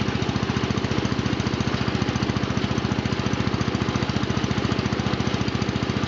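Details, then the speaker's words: John Deere Model 20 air compressor, pulley-driven off a 1966 110 garden tractor engine (max 1000 rpm): even, quick pumping thumps about three and a half a second as tank pressure bounces with the bypass valve cycling; running healthy. "so we'll just go a big overview now take see that compressor moving the waiver pressures bouncing up and down a little bit"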